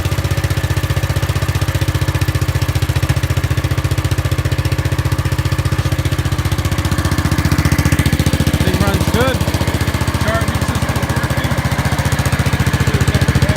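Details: Gravely 5865 with a 16 hp Kohler K341 single-cylinder: a steady, even thump at about 220 beats a minute with no knocks or misses, running perfectly after a rusty solenoid that put out only about 10 volts was found to be the no-start cause.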